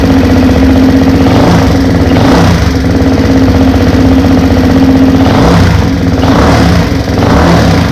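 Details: Honda 400EX engine just rebuilt (top end, valves adjusted, repaired head stud thread) on first heat cycle; loud steady single thump with a few gentle revs, no misses or knocks, running well; carb thought rich, tuning pending.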